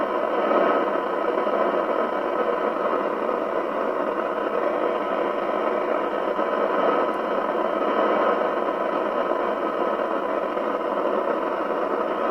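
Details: Spinneytonic CB199 UK CB27/81 mobile CB radio (fake Amstrad chassis) on the bench with signal generator: steady hiss, thin band-limited sound, no clean audio; poor receive, suspected IF out, alignment needed.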